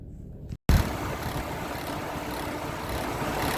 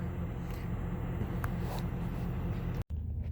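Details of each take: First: 2006 Chevy Trailblazer, engine running: rough, gritty whir and faint hiss repeating about once a second from the alternator; mechanical failure of the alternator pulley. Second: 2006 Chevrolet Trailblazer after replacing alternator with failed pulley: low, steady idle rumble with no whine, squeal or grinding from the engine front; normal idle, new alternator charging.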